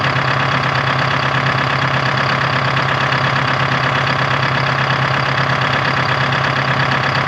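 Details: 1976 Ford F250 with Detroit Diesel 4-53T two-stroke, first start after fuel system rebuild and renewed tank: loud, even idle with fast steady beat and raspy exhaust, no misses or knocks; normal idle.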